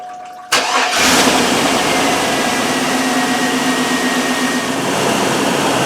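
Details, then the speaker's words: GMT800 Yukon 5.3 V8 started one last time, with the coolant draining, before the front clip is pulled for an engine swap; quick crank, catches right away and settles into a smooth, steady idle with no knocks or misses, healthy. "Hard to believe that'll probably be the last time I ever hear that 5.3 run."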